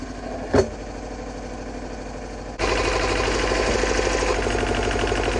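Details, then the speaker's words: Yanmar 1500D diesel tractor lifting a snow blade after fixing a backwards-installed hydraulic filter causing pump cavitation and replacing o-rings: steady idle firming as the three-point lift raises the blade, no whine or chatter; normal. "so needless to say the three-point hitch is finally working and i couldn't be happier"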